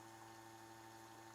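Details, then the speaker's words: Porsche 912 new fuel system, in-tank pump jumped directly to power while adjusting pressure regulator: steady low pump hum with fuel gushing in an even stream, no surging; pump healthy, fuel clean. "need a new wrench same number about 3.75 and then i think each time you make an adjustment on this one you need to you know let it flow a little bit it's a lot of fuel coming out"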